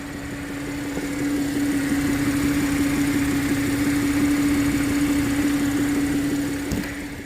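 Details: 2015 Audi A8 knocking only once warm; light fairly regular tapping about three a second over a steady idle hum, source unknown.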